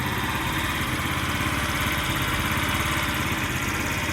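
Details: Scrap-yard Chinese scooter with a small single-cylinder engine idles with a loping, slightly uneven beat rather than a smooth tick; owner plans carburetor tuning and a gas change, cause not confirmed.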